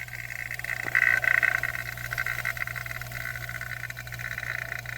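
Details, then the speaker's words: Vacuum pump evacuating the A/C system of a 2007 Chevrolet Suburban after leak repair, pulling slowly because the port valve core was left in; constant low drone with steady hiss, no knocking or surging, normal running. "Now it's pulling slowly because I have the valve inside of it still. I did not pull it out because I don't have any way to put it back in."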